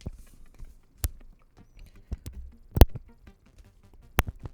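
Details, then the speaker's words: Sennheiser 416 shotgun mic: irregular sharp pops, crackles and low thumps as the mic moves, caused not by the cable. "Yeah, it shouldn't be creating that noise or peaking, so it's crackling."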